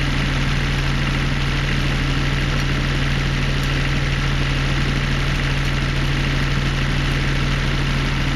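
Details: Denyo DCA-15SS-N genset with 1.6 L 3-cylinder Nissan diesel (18 PS at 1500 rpm), over 30 years old, first start in years, now warmed up, no smoke: steady even idle with constant low hum, no knocks or hunting; healthy.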